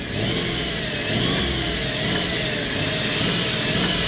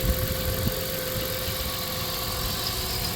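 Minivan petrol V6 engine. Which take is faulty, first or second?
first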